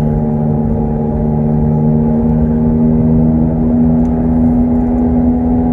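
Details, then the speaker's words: 2007 Pontiac Torrent at highway speed, steady whirring drone with low hum over road noise, rising in pitch with speed, likely driver's side front: worn front wheel bearing hum. "I like to think of it as it sounds like you're an airplane getting ready to take off with very noisy propellers"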